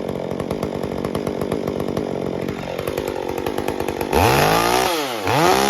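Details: Stihl MS201T chainsaw with new standard carburetor burbles unevenly at idle then screams through unstable revs during cuts; tune inconsistent especially at idle and coming off full throttle.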